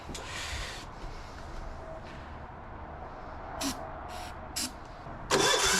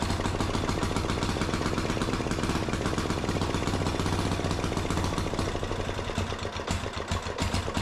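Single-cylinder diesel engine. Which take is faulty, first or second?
first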